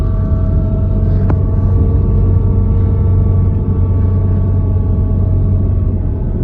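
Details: Audi Quattro AWD drivetrain: deep steady rumble and low drone under the drive, no knocking; suspected transmission bearing noise, exact source uncertain.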